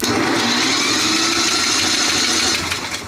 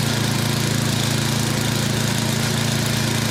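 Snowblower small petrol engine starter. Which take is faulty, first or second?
first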